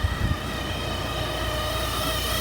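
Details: 2006 Hummer H3 with 4L60 transmission: steady high-pitched whine at idle from the bell housing, like transmission pump whine; shown not to be the transmission, as the noise persists with torque converter disconnected and not spinning.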